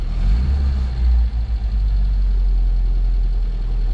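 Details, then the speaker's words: 1967 Volvo 122S Amazon four-cylinder, already driven warm, started in neutral with choke about halfway out: steady low even rumble with brief dip mid-clip, no misses or knocks; normal idle on choke. "got the choke out about halfway yeah it seems to be all right"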